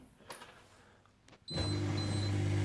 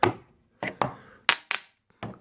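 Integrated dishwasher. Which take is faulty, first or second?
second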